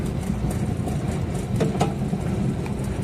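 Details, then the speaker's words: Whirlpool washer-dryer tower dryer running after thermal fuse replacement: a heavy, uneven low rumble with occasional knocks, because the blower wheel is completely loose, off-center and wobbling, so it needs replacing. "it's making a strange noise. So, we go straight to the turbine or blower and look at what's happening with this turbine. It's completely loose. It's not centered and it's wobbling back and forth."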